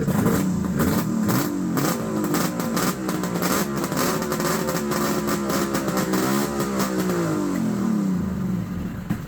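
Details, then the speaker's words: Vintage Ski-Doo two-stroke triple race or mountain-mod snowmobile that had caught fire in the past, running on added fuel: crackly uneven revving blips, crisp and eager, no rattles or knocks, smoky. Running strong and normal. "That sounds so mean. Oh, it's smoky in here now."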